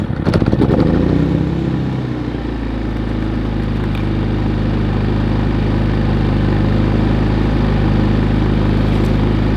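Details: Harbor Freight Predator 3500 inverter generator push-button started after sitting a couple of weeks; quick crank, brief surge, then smooth steady even hum, starting and running normally.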